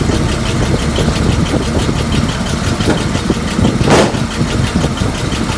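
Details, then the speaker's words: 1941 Chrysler flathead six coupe, first run with no tuning, untimed, low oil pressure: uneven, stumbling, shaking idle; owner suspects ignition timing is off; engine soon steams, suspected water in block; rough idle. "So we got a little oil pressure. Well, man, hard to see. Not a lot. She's shaking a bit."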